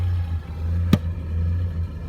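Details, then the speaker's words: GAZelle with ZMZ-405 engine, hood open, under throttle: deep engine drone that swells and sags unevenly with one sharp tap in the middle; the revs jump and won't hold steady on throttle, cause unknown and the owners are asking for advice. "Почему у него скачут до вот так обороты? На газу, на газу."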